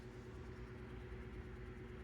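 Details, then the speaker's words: Electric fan with new capacitor, oiled, also tried without capacitor: low steady hum with faint tone, needs a kick start and turns far slower than it should; cause unknown. "thing got a kick started to run it and look at how slow it runs"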